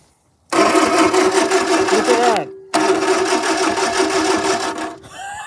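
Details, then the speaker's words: 1950s Fawton Ford tow motor unstarted for 30-40 years, solenoid faulty and bypassed with a screwdriver, battery possibly flat: two long bursts of steady, whirring cranking at constant tone, turning freely but not firing. "So, the solenoid is buggered. So, I'm going to try bypass it. See if we can use a screwdriver. I just managed to get a crank. So, I'm going to do it again."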